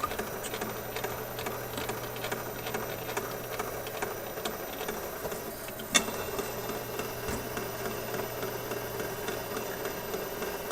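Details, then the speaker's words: 1969 Nationwide Manufacturing turntable from a Philco console: quiet mechanism with a regular soft ticking thump, like a train over rail joints, from a divot in the aged idler wheel; reconditioning failed, a new wheel is needed. "yeah i'm pretty sure that's the idler wheel we hear it sounds like a train going over the uh brakes in the train track get the pace of it you can just imagine that idler wheel going around about that pace yeah so there's got to be a divot in the idler idler wheel"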